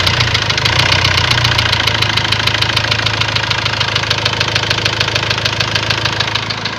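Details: Ford Transit diesel at idle: sharp, regular knock about three per second over a steady idle; faults showed cylinder balance and a leaking injector, knock cause not confirmed.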